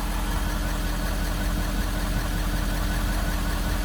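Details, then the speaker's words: 2015 Ford F350 6.7 Powerstroke diesel idling right after an oil change and both fuel filters were replaced: smooth, even idle with a steady low rumble and no misses or knocks; running normally. "okay we're good we're started let's see if it stays started seems to be running pretty good so far"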